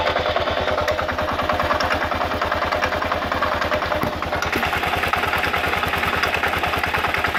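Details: 2000 Kawasaki KLR650, about 45,000 miles, clutch plates replaced about 1,000 miles ago, doohickey reportedly done, started 15–30 minutes earlier, on choke at idle: fast, steady gritty clacking about three per second; engine clacking, cause unknown.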